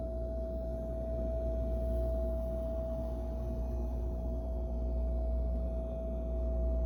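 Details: Whirlpool refrigerator, comparing the display unit's sound at Lowe's with the unit delivered home: a steady, clear single-pitch hum over a low drone, louder than a fridge should sound.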